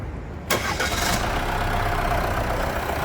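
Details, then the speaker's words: Jeep Compass started after a finished service: it cranks, catches promptly and settles into a smooth, even idle with no knocks or misses. The engine is running healthy. "Vamos escutar esse funcionamento do motor. É uma melodia ou não é uma melodia?"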